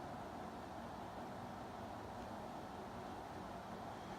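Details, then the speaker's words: 48-inch Evergo 4E-3LW ceiling fan from the early 1980s turned up to maximum speed: soft, steady rush of air with no ticking, wobble or hum; it is running smoothly and moving lots of air. "and finally all the way up to max and as usual its cranking out air and hauling ass"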